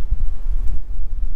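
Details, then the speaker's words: Pickup truck slowing to a stop with a soft rolling rumble and no squeal, after the disc brakes were treated with CRC Disc Brake Quiet and cleaned; squeal fixed. "See, zero squeals, guys. Man, I am so excited with this."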